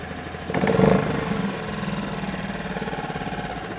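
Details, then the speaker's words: Hidea 2.5–6 HP outboard motor, warm restart without choke after it had been running: one sharp pull, it catches at once and settles into an even, steady putter with no misses; a normal warm start. "now that our motors already been running for a moment or two we can start it back up the same way you can put this back in and we probably don't even need the choke this time let's try keep our triangle lined up pull it again and it starts right up"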